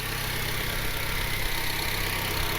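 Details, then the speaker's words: Honda Civic R18 with a new budget eBay turbo kit, warming up after first start. A smooth, steady, quiet idle with an even beat and slightly louder exhaust; no surging, misses or tapping, and no oil leaks seen. "I can hear that being a little bit louder, but RPMs are smooth. Everything is steady. Nice and quiet here."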